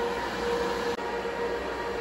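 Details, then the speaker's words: Supermicro quad GPU compute server at first power-on/POST: steady deafening high-pitched squeal over constant fan rush; power supply fan squealing though system works. "that is a truly horrible sound that really hurts my ears but um looks like it's uh working so"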